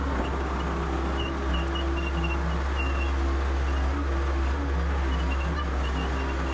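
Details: Excavator with Deutz diesel, idling after first start in about three months: deep, steady rumble with even beat, no knocks or misses; smooth, healthy idle.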